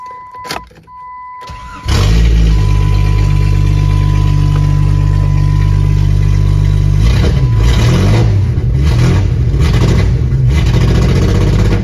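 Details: 1996 Jeep Grand Cherokee ZJ with new injectors, plugs and wires, after scuffing rust off the distributor cap contacts: cranks, catches, runs with uneven stumbling beat and lumpy revs, slightly better; misfire persists, owner suspects worn rotor button.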